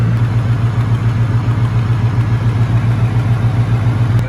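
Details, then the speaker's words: 1994-96 Chevrolet Caprice SS with 5.7 LT1 V8, started after coolant reservoir and hose replacement: even, loping idle with steady low throb, no knock or squeal; sounds healthy. "me know how the LT1 sounds for y'all, man. It sound healthy? I think it sounds healthy."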